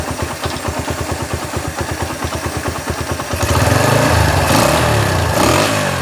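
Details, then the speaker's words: Honda GL Max single-cylinder after cam timing chain replacement and carburettor cleaning, valves not adjusted, after long storage; even putter then clean rev, no clatter or carb popping, back to normal. "beginilah bunyinya setelah kami mengganti rantai kam, teman-teman. Kembali normal, kan?"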